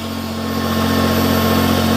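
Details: Petrol Smart ForTwo after a seized-alternator and failed-starter revival, just restarted: steady, even idle hum with an unchanging rhythm and no knocks or misses, running cleanly. Owner separately notes variable boost and possible limp mode, but diagnostics found nothing.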